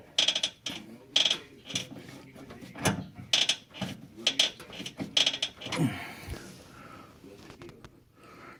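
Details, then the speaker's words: 2004 Ford Mustang: repeated dry creaks and clunks as the whole rack and pinion shifts when turning the steering wheel; worn rack mounting bushings, fix is replacing the bushings. "the same noise it makes when you turn the steering wheel that's what that creaky noise is coming from and it's the bushings in here that are bad"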